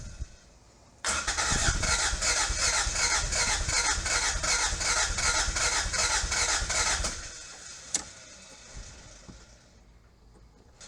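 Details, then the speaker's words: 1986 Toyota MR2 AW11 salvage-yard car, new fuel tank fitted but still not getting fuel to the engine: steady cranking about two and a half turns a second for six seconds, never catching; owner suspects the injectors aren't working. "Those injectors are not working. It's the injectors."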